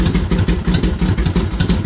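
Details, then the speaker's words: Harley-Davidson Ironhead V-twin after pushrod adjustment and primary drain, started cold after a few kicks; steady lumpy potato-potato low idle firing evenly with no ticking or misses, healthy. "She sounds good. I'm gonna take her for a ride, see how she rolls."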